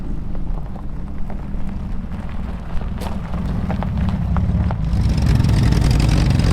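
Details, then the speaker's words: Old junk car arriving back after being driven 1,000 miles home, rolling in then idling: a deep, steady low rumble with no knocks or misses under the outdoor noise. Engine running normally. "Sounds fantastic. Welcome back, fellas."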